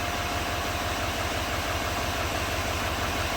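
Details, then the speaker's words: 2017 GMC Sierra 2500 HD 6.6 diesel, code P021A, after replacing the number 7 injector connector. Smooth, even diesel clatter at idle with no skipping; all injectors now firing and misfire counters at zero. "yeah it's working now get out of here and look at the misfire founders should be all zeros beautiful"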